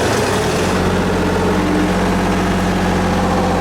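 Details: Miller 400D welder engine, reassembled after brush and slip-ring check, about 32 volts at idle: steady even low drone with constant pitch, no knocks or misses; idling cleanly and healthy.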